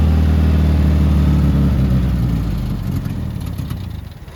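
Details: 1972 Toyota Celica, swapped used 18RC engine, Weber 32/36, first start in 20 years, exhaust not properly fitted: rough running with low puffing chuff about four times a second, then dies away; smoky; exhaust leak.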